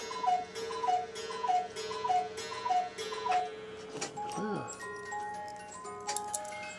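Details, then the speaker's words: Old musical cuckoo clock, rusted gears, movement fully disassembled, cleaned and oiled: normal running after repair, steady tick about a hundred beats a minute, then a clear chiming tune plays. "listen to that isn't that nice it is so nice having a good working and cuckoo clock"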